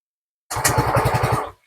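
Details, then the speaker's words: Fazzio scooter with the lowest throttle-body sensor unplugged, MIL lit: engine fires with about nine quick pops, then dies and won't run even with throttle held; stall from the unplugged sensor. "Nah, dia hanya bisa ngangkat dedet mati. Nah, nggak bisa hidup. Tuh, dipencet terus sambil digas, dia hanya cengengesan, tapi nggak mau hidup."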